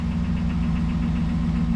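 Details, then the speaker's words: GMC Denali LS V8 cold start: light quick ticking over the steady idle rumble from a noisy lifter, because the oil pickup is at the back of the block and oil pressure builds slowly; it must warm up first. "And you can hear at least this one has a noisy lifter. So, I have to wait for it to uh warm up before I move it."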